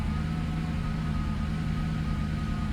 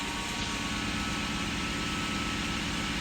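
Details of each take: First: 1997 Lexus SC400 V8 idling low with a slightly uneven, stumbling pulse and an occasional deeper exhaust sound that shakes the engine; code P0307, misfire on cylinder 7. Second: High-mileage Lexus SC400 after fixing the misfire (found oiled up), warning light still off after a couple of minutes: a steady, even idle with a low, smooth rumble and no misses, knocks or hunting. Normal idle.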